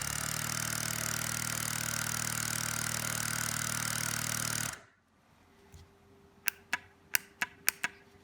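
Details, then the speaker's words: Rebuilt air suspension compressor from a 2008 Cadillac Escalade ESV, after resoldering fine wires and cleaning and lubricating the piston: steady even buzzing hum for about five seconds, then crisp solenoid clicks; compressor working normally. "okay guys this is what uh that solenoid should sound like when it's working you can feel it clicking back and forth okay and here's the compressor"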